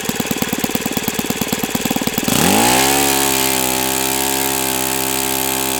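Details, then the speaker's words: O.S. FS-91S II four-stroke engine, first run on test stand, started at about quarter throttle: starter whirs briefly, then it catches and settles into a smooth, steady high-pitched run with no misses or surging. Owner says it freed up once warm; normal running. "This is definitely a diamond. And the best part about it is is it getting up to operating temperature helped it a lot because now it feels more free."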